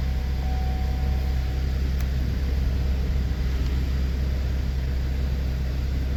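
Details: 2013 Cadillac SRX 3.6L after new spark plugs, coils and gaskets: deep, even, steady rumble with no misfire stumble, ticking or knocking; smooth healthy idle.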